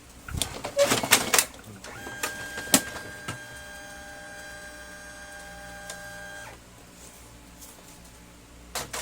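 Printer mechanism whirs with a steady tone, then a burst of clattery clicks as the paper is grabbed; gear noise during paper pickup.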